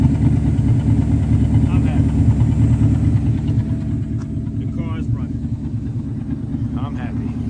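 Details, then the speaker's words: 1984 Mercedes 500SEC Euro-spec after removing blockage from clogged fuel intake filter, previously bogging and dying: steady even low idle, no stumble or dying; fixed, running normally. "the fuel is flowing nice and smooth the engine is running it's holding idle i'm happy golly so that was the issue"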